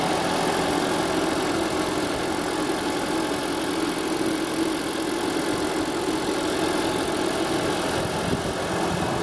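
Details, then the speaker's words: Old Toyota Prius engine from a 2012-to-2016 engine swap comparison, at steady idle: a quiet, even hum with no knocks or ticks, runs fairly well. It burns oil and a blown head gasket is suspected. "see that it's that did old engine in there doesn't run too bad I kind of like it"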